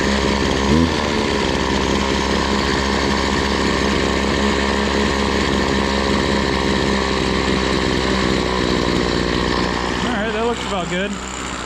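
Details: BC 2500 LE two-stroke trimmer, after the idle was turned down: a steady, even idle buzz without surging, then handling noise at the end, and the head no longer spins. Idle is set right.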